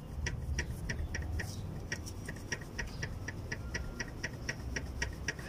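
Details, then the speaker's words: Mazda CX-7 2.3 turbo, chain removed, VVT cam gear rocked by hand: light dry clacks about four a second from excessive play on the camshaft; worn VVT gear is the source of the engine's taca-taca noise, needs replacing. "ese es el taca taca que tenemos en la camioneta entonces el engrane es el engrane bebé te está mal esto hay que cambiarlo"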